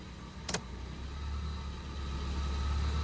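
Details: Suzuki Karimun kotak, carburetor recently disassembled and idle settings not yet readjusted: a switch clicks on the headlights and the idle climbs and holds higher, also above the stable 700 rpm wanted; idle speed rises under headlight load.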